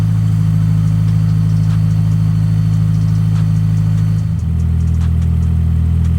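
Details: Honda Civic EM2 with K20 engine, after cleaning the IACV to fix an idle surge, coolant at 68°C; it starts and settles to a steady, even idle slightly over 1000 rpm, a bit high, with no surging. Normal idle.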